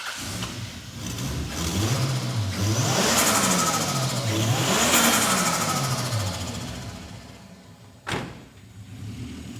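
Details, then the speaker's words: 1989 Toyota Supra MA70 with the 7M-GTE turbo straight-six, first run after sitting 6+ years, timing belt past its age limit: the engine climbs and falls cleanly through several quick revs with a turbo whoosh each time, pulling evenly with no misses or knocks. Normal revving. "That is hasn't ran for 6 years plus. And to hear that thing make some dose noises, it's made me feel good."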